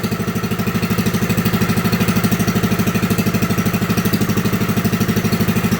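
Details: Lincoln Weldanpower 150 AC generator/welder (owner guesses 1964), repaired (magnet rubbing coil fixed; new coil, condenser, plug, fuel parts, points reset), revved up to high rpm for welding: fast, even single-cylinder thumping, no misses or knocks. Healthy engine at high rpm.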